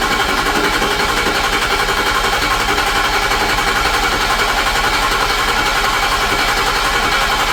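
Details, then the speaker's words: 2006 Ford F-350 6.0 Powerstroke diesel, first start after high-pressure oil O-ring repair and ICP-port air testing: long even cranking with no misses while rails refill and pressure rebuilds, then runs; extended crank normal. "When I was testing the high-pressure oil system by applying air through the ICP port, it forces oiling out of the highpressure rails and therefore it has to not only refill the high-pressure oil rails but then make enough pressure to fire the injectors."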